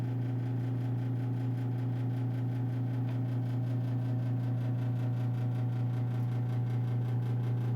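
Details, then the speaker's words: Old gas heater in bedroom: low, steady hum at one even pitch, no knocks or surges; constant running drone, source unknown. "this is the ambient noise this is the noise it makes and stop me your noise at all and if you can hear that little hum yeah oh this is three feet from my bed every night"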